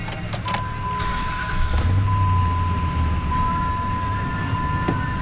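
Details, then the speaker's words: Dodge Ram pickup (owner guesses 2004), 198,000 miles, brought in for misfire: after repair, V8 started and idling with steady even low rumble, no stumbles or shaking; normal idle. "not bad feels pretty good no shaky shaky"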